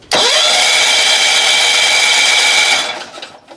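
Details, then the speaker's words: 1970s John Deere 70 skid-steer, 2-cylinder engine, both spark plugs removed (plugs wet), choke off, no fuel: cranking over to blow out excess fuel gives a fast, even, high-pitched whir with no compression pulses; engine spins freely. "Alright, both spark plugs are out. We'll just turn it over without fuel and blow out the excess"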